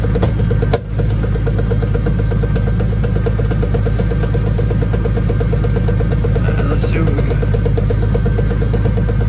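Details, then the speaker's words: 2002 Chevy 1500 4x4, lifted with drivetrain turning: a sharp dry click about once a second over the engine drone, first thought to be from the transfer case, traced to a worn driveshaft universal joint. "there it is bad you joint"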